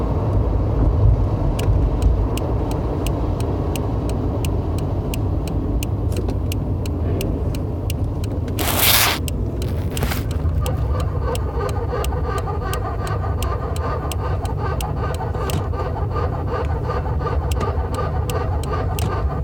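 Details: Car grinding while accelerating: heavy road rumble with a rhythmic scraping tick of about two or three a second.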